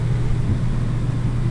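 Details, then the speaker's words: Newly installed rear RV air conditioner, controlled through Keystone In-Command, with only enough power for the fan and not the A/C: smooth steady blower hum with airflow rush, no rattles or squeals. Fan working normally. "So we've got our rear air. Let's make sure the fan works on that. I can hear it blowing."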